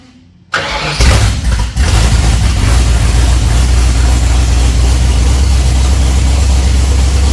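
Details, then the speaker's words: 302 V8 with Holley Sniper 2 fuel injection, low on water, about half an hour total run time, starting instantly; lumpy, uneven idle as the idle control hunts; running very rich and smoky, conking out at idle. "I've just set the oil up, but it is very rich. See the idle control working its guts out, but because it's so rich, it's just conking itself out there at idle."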